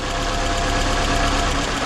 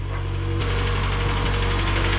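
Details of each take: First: 2012 Scion xB with 2AZ petrol four-cylinder: lumpy, stumbling idle from a misfire; unplugging coils one at a time, cylinder one gives no change, confirming it is the dead cylinder. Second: 2012 Scion xB with 2AZ engine, first start after the engine swap, fuel and oil pressure primed beforehand: starts right up and settles into a steady, even idle with no stumble or knock; the misfire is gone.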